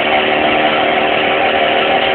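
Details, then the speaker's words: Homemade scooter with a new cheap small engine, last warm-up period: harsh, high, chainsaw-like buzz holds steady through a short 100% full-throttle burst; loud buzzing, cause unclear. "this is her last warmup period so I'm giving her little initial burst of 100%"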